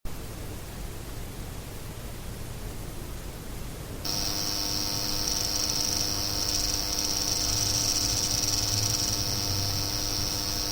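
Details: Seasonic X660 PC power supply, fan not running, third replacement unit; steady high-pitched buzzing coil whine with faint chatter at idle (1% CPU, no programs), after a few seconds of room sound.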